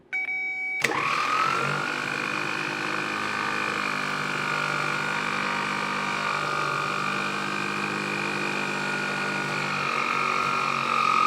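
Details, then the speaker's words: 1970 Triumph TR6 starter motor bench-tested off the car on a good 12 V battery; rising whine then sagging, wavering pitch as it drags and seizes; owner suspects internal corrosion, will clean or replace: starter binding. "now it's picking up speed which tells me that it is a little bit corroded"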